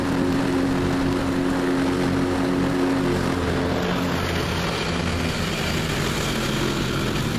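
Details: Revived neglected riding mower with new belt fitted, mowing the backyard: steady, even drone holding through the cut, no misses, surging or knocking; running good and mowing evenly.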